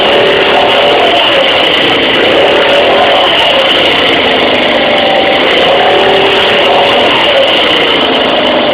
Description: 2012 Tao Tao ATM-50A scooter sounds like a family of squirrels is fighting.